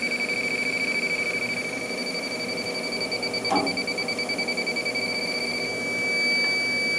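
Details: Walk-in cooler with bad compressor and burnt wires, charged with cheap refrigerant for leak testing: fast high-pitched electronic beeping, several per second, from an infrared leak detector alarming at a refrigerant leak on the coil.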